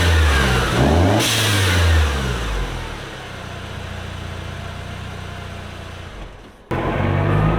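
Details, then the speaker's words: Mercedes C250 (W204) with a Turbosmart Kompact blow-off valve and boost tap installed: engine revs, then a soft, low vent on throttle release with no flutter; normal blow-off valve venting. "it's very much a less obnoxious blow-off valve. And the nice thing is, the stock diverter valve is electrically driven, so it'll open up whenever you release your foot off the gas and you have boost."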